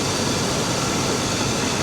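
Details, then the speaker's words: Truck at auction with 230,000 miles, the alternator charging and the engine running on its own after a jump. A steady, even, quiet V8 idle with no knocks or misses, which is normal. "it runs good really it runs good listen to this thing it's really smooth nice and quiet and nobody's bidding on it"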